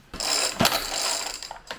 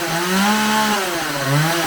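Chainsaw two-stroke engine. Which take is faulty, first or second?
first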